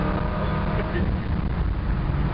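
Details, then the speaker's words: Ford 302 V8 wagon during carburetor power-mode calibration, full-throttle road run after the shift out of second gear; deep strong roar pulling cleanly with no stumble, surge or hesitation. "Man, now, no surging, no hesitation. All over it."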